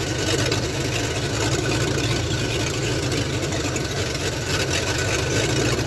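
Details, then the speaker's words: Ford F100 302 with a Comp 268H cam on open headers during cam break-in: a low, steady rumbling idle with an even beat and no knocks or misses; normal idle. "Not that loud for open headers. Not that loud."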